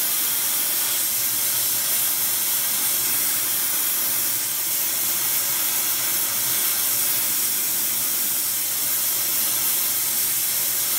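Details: Airproducts Integra oxy-acetylene cylinders with built-in regulators and small mixer torch, welding with pressures set by ear, aiming for 4 psi: steady even hiss, no popping or sputtering; normal clean-burning torch flame.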